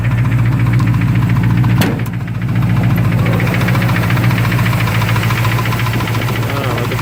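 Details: 360 V8 in a Duster with a failed head gasket and chocolatey coolant, owner also suspects rod knock: heavy idle with a steady, deep knock three or four times a second throughout; engine knock, cause unconfirmed.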